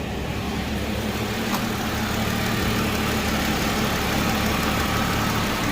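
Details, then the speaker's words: Hyundai Genesis 3.8L petrol V6 after engine swap and crank pulley bolt installation: smooth, quiet idle with an even low hum and no knocks, ticks or rattle. The earlier noise is gone. "it's a pretty quiet engine so that's good no more noise"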